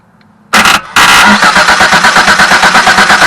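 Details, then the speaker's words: 1974 Datsun 260Z starter bypassed with a screwdriver across the solenoid terminals: a brief burst, a pause, then steady rapid cranking about two per second; the starter solenoid is sticking and does not pull on key power. "So, it it will crank over. It's just that that's something sticking inside the solenoid and not pulling when you send power to it."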